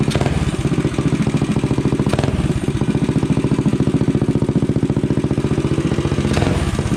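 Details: Rascal GT cruiser minibike with a DIY pit bike muffler bolted on by a bracket and floating unclamped on the pipe: even, quick single-cylinder thump at a fast idle with no knocks or rattles; running healthy with a nice tone.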